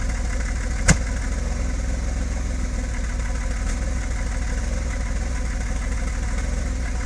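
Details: BMW E34 525i, M50B25 without VANOS, ICV cleaned, MAF OK, new spark plugs: low, uneven loping idle with one sharp click early; owner suspects timing, ignition coils/wires or O2 sensor.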